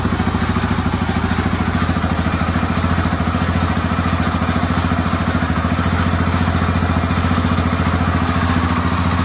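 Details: Yamaha Raptor 350 quad after top-end rebuild, first start, fed from a battery, Chinese carburetor; steady fast even idle about three and a half beats a second, no knock or rattle, healthy.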